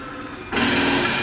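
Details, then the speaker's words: Dutchmen Denali 307RLS fifth wheel slide-out extending: steady motor drone jumps to a louder buzzing brrr as the slide reaches its stop, normal end of travel, time to release the button. "then of course we hear the brrr that I tell customers when they come to pick up units. That's the end of the slide out. It's reached its maximum edge, time to let go."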